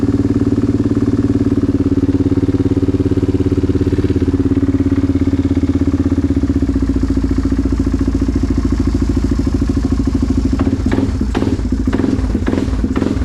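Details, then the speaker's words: Yamaha Grizzly 660 ATV after decompression modification, new harness, battery and radiator, brief first test fire: deep, throaty single-cylinder idle with even beat, no ticking or knocking, a few clicks near end; normal healthy idle. "That sounds beefy. Sounds very very throaty."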